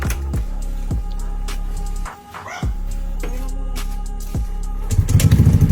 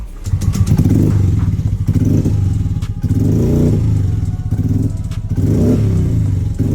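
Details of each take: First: Yamaha Mio Gear scooter after cleaning the throttle body and intake, fitting a terminal to the accessory wire and clearing the error code; starts on one click and settles into an even, steady idle, no longer hard starting. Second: Yamaha Mio Gear scooter before repair, with hard starting and error code; surges and sags under throttle, hesitating and bogging, later traced to dirty throttle body and rat-chewed, pinched wiring.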